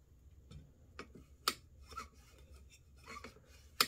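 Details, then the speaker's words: AR-15 bolt carrier, bolt removed and lubed, slid by hand in the gas block: sharp metallic ticks about once a second, uneven in strength, as the gas key hits the gas tube lip. Tube rotated slightly off; fix is turning it to find a completely smooth spot. "so I'm going to turn it just a hair more there you can actually hear it hit so that's not what we"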